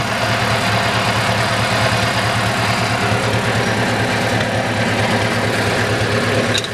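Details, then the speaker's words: Farmall Super MTA diesel tractor, which starts on gas and then switches to diesel, here switched back to running on gas: steady, even chug at idle with a consistent firing beat and no knocks or misses. Normal idle. "now I'll put it back on gas so it can here it run on the gas there it is running on"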